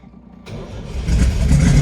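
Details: 1971/1972 TVR 2500M that sat for a very long time, started on a new battery: brief crank, then it catches quickly and revs climb smoothly to a strong, steady roar; starts cleanly and runs fine.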